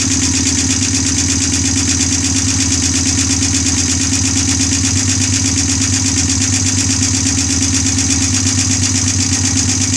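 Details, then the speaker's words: Honda bobber build first startup on OEM carburetor: steady idle with a fast light metallic ticking about three per second; owner suspects valves need adjusting again; ticking at idle. "sounds like i gotta adjust the valves again"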